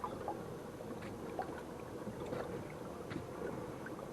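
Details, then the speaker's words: Hammerhead Kayaks Bull Shark pedal propeller drive after sanding off a small bump and spray painting: only water swish and gentle splashing while pedaling; earlier creak from the drive is completely gone, running quietly. "almost can't tell that I was even there but uh the creek the noise in the drive totally gone now if you'll remember some of my earlier videos when it was making it noise and uh totally gone I'm thrilled to death about that"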